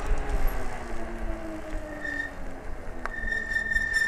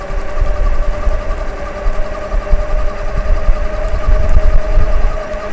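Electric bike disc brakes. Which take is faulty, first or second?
first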